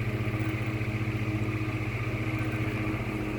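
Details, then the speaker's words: Vintage 1950s GE Standard 12-inch oscillating desk fan F14S125, on high with oscillation: steady hum with a quick, regular pulsing flutter on top; an odd noise of unknown origin, owner thinks from the blades. "I don't know what that noise is. Sounds like it's coming from... sounds like it's coming from the blades. I don't know."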